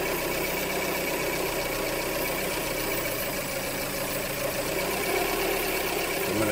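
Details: 2003 Hyundai Elantra 2.0 litre idling with uneven, stumbling single-cylinder miss; misfire recorded on cylinder 3, scanner injector test mislabelled cylinder 2; propane and smoke test show vacuum leak at intake manifold gasket/injector O-ring.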